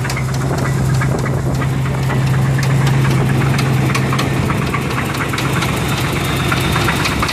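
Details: 1985 Chevrolet Silverado K10 pickup, 305 V8 (third engine): steady light knock about three a second over a lumpy idle, apparently from the bottom end; cause still being diagnosed.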